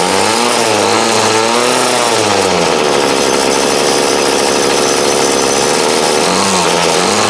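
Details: 2008 Troy Bilt TB20CS 31cc trimmer, fuel lines, filter and primer replaced, warm after about 5 minutes idling, wanted half choke; swings between a rising whine and a sagging bog: carb dead spot, hesitation on acceleration.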